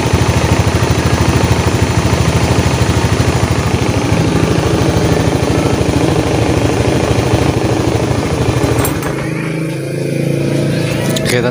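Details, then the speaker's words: Honda Beat FI eSP scooter after replacing the worn connecting-rod big-end (crank) bearing that caused a CVT-like humming: even, steady run with a smooth pulse and no hum or drone; normal running. "jadi suara sudahah normal ya jadi penyebab tadi bunyi denggung itu kelahar askrknya yang minta ganti itu saya ganti Kahar askk pasang lagi udah teman-teman ya jadi normal kembali"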